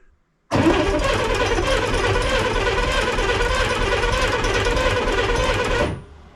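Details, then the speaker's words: 1965 Corvair, long-stored, first start attempt: steady five-second crank with an uneven, clattery chug of about four beats per second, turning over but not catching; odd cranking noise, cause unknown, gas smell noted. "not sure what a corette is supposed to sound like when they spin but this one sounded interesting I guess I wouldn't expect it to sound like that but sounded like it was turning over okay"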